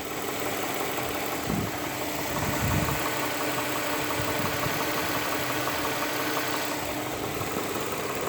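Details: Infiniti VQ35DE engine at steady idle: faint, loose ticking knock over the engine hum; engine knock, cause not identified.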